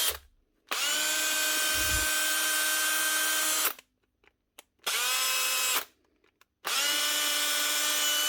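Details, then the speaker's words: Brushed drill (older-type brushed machine) sound-checked during repair before reassembly, listening at the rear for brush clicking from an armature imperfection: three short bursts, steady high whine with a slightly rough edge; sounds worn but not burnt out, uncertain without reference. "Or just general rough sound. It sounds worn, but it doesn't sound burnt out. It's hard to tell without a reference."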